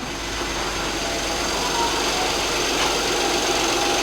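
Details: Vauxhall Grandland, former auction non-runner, idling after first start, battery suspected weak: steady even idle, constant hum, no misses, dips or knocks. Normal idle.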